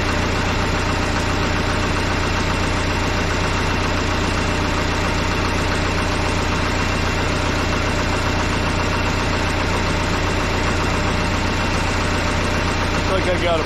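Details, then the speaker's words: Case 188D diesel in a tractor on its first fire-up, throttle worked by hand: a steady, even idle with a regular low chug and no knocks or misses. There is a leak from a damaged plug in the injection pump, and the oil pressure gauge is acting odd. "I'm pleased this punch sounds really good running good"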